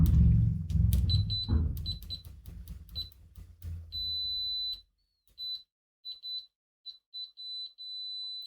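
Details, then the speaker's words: Siglent SDM3045X bench multimeter continuity test with its stock leads: after handling clatter the high beep comes late and chatters in broken bursts; poor stock leads, which behave much worse than XZZ leads. "So I have never used these original leads that came with the device, but I've used some cheap ones that I bought. These are some XZZ leads, and these behave way better compared to the original ones."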